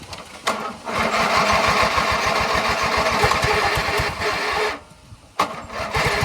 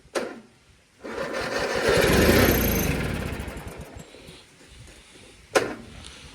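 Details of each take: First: 1997 MTD Yard Machines riding mower, hard to start because the tank, fuel lines, filter and carburetor were empty. Refueled, the single-cylinder engine settles into a steady, even putter with one brief dip, now running normally. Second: 1997 MTD Yard Machines riding mower, tank had been empty and fuel lines, filter and carburetor dry, gas just added: the starter cranks in a fast, steady chug and never catches, with no fuel reaching the carburetor yet.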